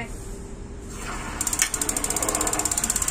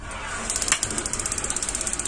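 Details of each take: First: Gas water heater that lights only briefly, intermittent igniter, water pumped through, gas not yet connected: fast string of sharp, high ticks as water flows; igniter sparking with no gas supplied. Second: Gas water heater that had a flame that lit only briefly, after a part was cleaned and cut back 1 cm: rapid even sparking at about eleven clicks a second over a soft hiss, and the burner now stays lit. Normal ignition.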